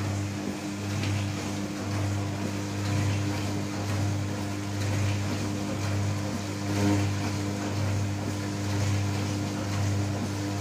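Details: New Candy Trio 9501/1X running loudly: a strong low drone pulsing slowly about every two seconds with a steady higher tone on top; loud humming resonance.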